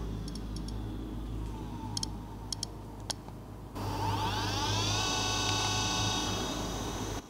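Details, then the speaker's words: Broken iPod Classic hard drive powering up: sharp scattered clicks, then a whine rising to a steady high hum; the drive sounds very unhappy but still works and plays. "actually playing the hard drive sounds like crazy but it actually works"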